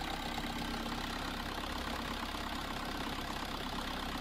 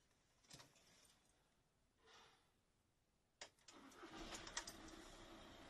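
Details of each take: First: VW Caddy 2K 1.9 TDI (BJB/BLS) 8v turbo diesel, DSG: steady starter churning about three turns a second with no firing; cranks but won't start, though it starts with the camshaft sensor disconnected; cam timing slipped. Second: VW Caddy 1.9 L TDI (BJB/BLS) turbo diesel with crank-no-start fault, after the intercooler pipe was temporarily refitted: brief crank, then it fires immediately on the first try and settles into a steady, even idle with no hesitation.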